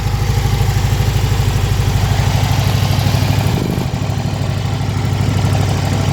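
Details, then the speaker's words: Car with Weber IDF 40 carburetors clogged by ethanol fuel, just reassembled, fuel poured in because the new pump underfeeds: uneven idle with soft pops about three a second; possibly too lean, unconfirmed. "So you can hear that popping. It's like it's either too lean or something."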